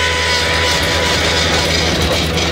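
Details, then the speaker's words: Bobcat T250 skid steer with just over 3500 hours: a steady high hydraulic whine when tracking forward. It also has low power, one drive side stronger so it pulls left, and fast lift drift with no visible leaks (suspected internal cylinder leak). "hey guys we got a bobcat t250 a little over 3500 hours on it just got this unit in and it's making this noise when you track forward let me show you see if you can hear"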